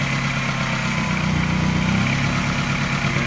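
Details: Mini N12 petrol engine, not cold but not warm, at a fast, fairly smooth idle. A mild light tap coincides with a regular slight misfire.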